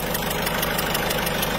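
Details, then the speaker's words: Citroën C4 Picasso 1.6 HDi, pre-May 2010, diesel idle: sharp rapid ticking and puffing from leaking injector seals, which are to be redone as an underlying risk to the turbo. "c'est loupé et plus on l'entend quand même à lui me fait pas peur voilà on va refaire les joints des recteurs pour éviter le risque de la capture bout"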